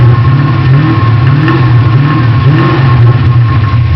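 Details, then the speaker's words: Ford Mustang engine revving: dull, uneven knock over a low rumble, appearing under acceleration; owner thinks it sounds like a spun rod bearing but is unsure. Suspected engine knock, unconfirmed. "when I accelerate that's when I'm starting to get the noise sound like a a rod bearing spinning or I'm not sure"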